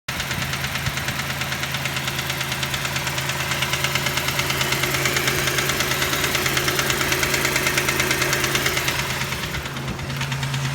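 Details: 1989 Toyota 4Runner 3VZE engine idling: sharp, even knock about three times a second, seemingly from the upper front area; owner guesses a bent rod and/or spun bearing.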